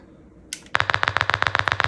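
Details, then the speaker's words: Early-1960s Bendix Sapphire 1 radio for a 1968 VW Beetle, bench-powered by 6-volt battery driving a speaker: sharp evenly spaced pops about nine a second, no station or hiss; same with antenna, light smoke near a coil and capacitor. "So it just makes this obnoxious popping sound. And it's the same if I hook it up to an antenna."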